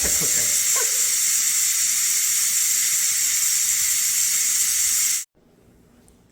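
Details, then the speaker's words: Pressure cooker vented manually after a one-minute pressure cook of green beans: a steady, loud hiss of escaping steam for about five seconds, then a clean cutoff; a normal pressure release before the float valve drops. "Now I'm gonna vent. Let all the steam come out. Once all the steam is out, it's not making that noise anymore, I'm gonna open it up"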